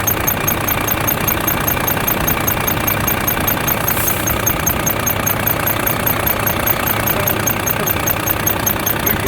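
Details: Volvo FH13 truck diesel idling after rocker arm replacement: sharp high chirp about 150 times a minute from under the valve cover at the front, first thought to be belts.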